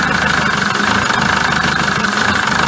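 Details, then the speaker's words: 2007 Peugeot Boxer diesel van with error code P2135: the diesel idle clatters but won't hold steady, its low note dipping and recovering about every second; the idle is surging and the engine is not running right. "definitely surging it's not running right anyway"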